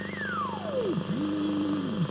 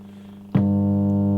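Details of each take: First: Hallicrafters S-20R tube receiver, first power-up with bad filter caps: whistle sweeps down, dips low twice, then settles on steady mid tone; BFO heterodyne tone working normally. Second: Hallicrafters S-20R tube receiver with bad filter capacitor removed from circuit: sudden loud, steady low buzz with strong overtones swamps the set; mains hum from failed filter capacitor.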